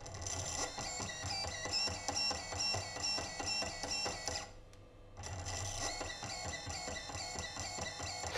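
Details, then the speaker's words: Two ESCs wired in parallel to one brushless motor, even after swapping phases on one ESC: harsh stuttering buzzing whine, motor won't rotate smoothly, both ESCs heating to 60 °C. "it's not really helping much i even after replacing the phases on one of the esc's it's not really helping this thing still does not want to rotate"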